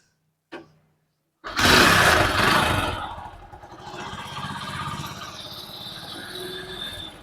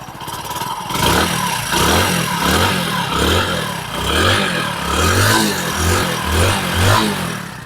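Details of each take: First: Hero HF Deluxe motorcycle: fires after a sharp kick and settles into an uneven, clattery idle with a tappy rattle on top; abnormal engine noise, cause not stated. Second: Hero HF Deluxe single-cylinder motorcycle after an engine rebuild: it catches and revs in steady, even blips about once a second with no knock or rattle. Normal running.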